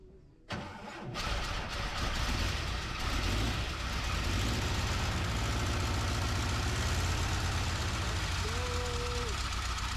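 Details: 1976 automatic VW Bus flat-four after engine removal found a loose flex plate (suspected rod knock): quick crank, fires right away, settles into a steady, even idle with no knocking; sounds healthy.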